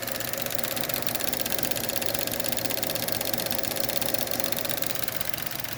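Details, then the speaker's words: Owner's 1.4 Chevy Cruze at warm idle: the old EVAP purge solenoid makes fast, even plastic clicking, about four per second, once coolant passes 176 degrees. Fitting a new solenoid stopped the rattling noise, which can be mistaken for timing chain noise. "making a whole bunch of clicking noise after the uh engine coolant temperature gets above 176 degrees it starts doing that on the old one"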